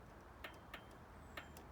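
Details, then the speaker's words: Royal Enfield Classic 500, ignition on, multimeter on the starter relay: faint sharp relay ticks at uneven third-to-half-second gaps, no voltage out and nothing on pressing the starter; faulty starter relay clicking without switching. "nothing you can hear this you can actually hear the relay half working but no voltage and when i press the starter button nothing at all no voltage"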